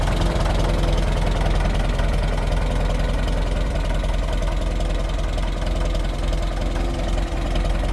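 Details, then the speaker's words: Fully restored 1958 Farmall 450 tractor after a tear-down, engine tune-up and repaint: a low, even idle beat of about 2-3 pulses a second with no knocks or misses, settled and healthy, before a test ride. "she is all finished up. Sounding perfect. Running really good."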